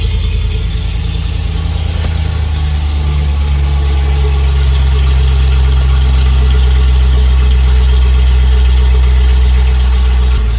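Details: Land Rover Discovery 2 V8 petrol, freshly started, possibly on choke, after replacing the fallen-off exhaust mid and rear sections with new gasket: deep, smooth, steady idle burble with no puffing, ticking or blowing at the joints; a healthy engine and exhaust, with condensation judged normal.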